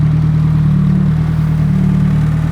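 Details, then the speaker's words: Nissan Cefiro with fully built Honda K24A2 four-cylinder and T56 Magnum, rebuilt after a rod went through the block: low even idle, steady pulse, no high idle, ticking or knock; 90 psi oil pressure, 119 coolant temp, warming up, exhaust burning off. "So quiet. Vitals are looking good. 90 pounds of oil pressure now that it's not idling high."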